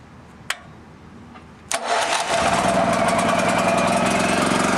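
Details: Long-sitting generator after carburetor float and needle work and a battery charge, choked: a click, a short crank, then it catches and settles into a steady, even buzzing run; starts readily and runs smoothly.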